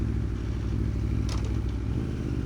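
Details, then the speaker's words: 2024 Aprilia Tuono V4 1100 Factory during its first ride, at idle. Deep, lumpy idle with an irregular clunking clatter that stops with the clutch pulled in; owner suspects the transmission, gear rollover or dry-clutch behaviour, not confirmed. "You hear that clunk? Clutch in and that's gone. It wants to have a dry clutch, I guess."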